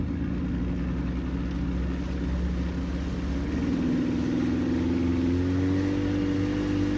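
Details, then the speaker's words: 2000 Johnson 50 HP outboard during a water test on the river: steady drone, then the pitch climbs as the throttle opens, with a slight stumble partway. Owner hears hesitation and tries more speed; cause not confirmed. "oh it sounds like it's hesitating a little bit there let's try a little faster"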